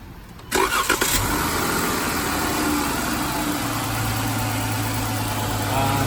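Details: 2014 Chrysler 300 engine cranks and catches after half a second, then settles into a smooth, even idle with no ticking, after rocker arm/lifter repair with intake manifold removed and refitted.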